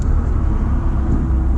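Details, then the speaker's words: Ford Mustang EcoBoost with turbo kit and catback exhaust, resonator tips welded back on: under throttle there is only a low, smooth rumble with no drone or rasp; the exhaust is nicely muted. "Oh, you can't hear hardly anything now. That's crazy."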